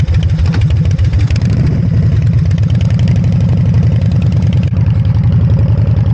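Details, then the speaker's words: Harley-Davidson V-twin with electronic ignition and a Typhoon carburetor, after timing set and carb mixture adjusted: strong, even lope with steady low-pitched pulses, no misses or knocks, responsive; normal running. "And this thing is really responsive with the Typhoon on it. So, uh, I'm really happy with the way it runs."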